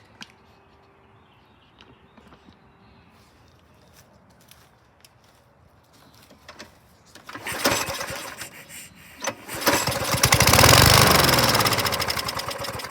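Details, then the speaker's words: Lawn mower from a scrap batch, no carb cleaning yet: a few quiet seconds, then it catches first pull and settles into a strong, even run; good compression. Normal start and run. "wow that sounded great good compression fired off with a shot"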